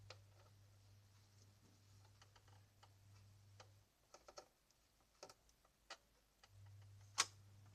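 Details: Canon G2000 printer printing after dried grease on print head carriage and gears was replaced with white grease; low steady hum with light ticks, no grinding or squeal; quiet, normal printing after the fix.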